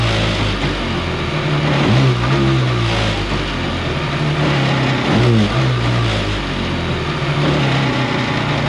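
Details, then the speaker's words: Kawasaki 750 jetski engine in a mini jet boat, run on the hose with the jet pump reinstalled: climbs slowly and sounds strained with loud extra noise compared to running without the pump; labored revving with excess noise under load. "this engine is running quite badly here. It's really revving slowly, and it's really making a lot of noise as well."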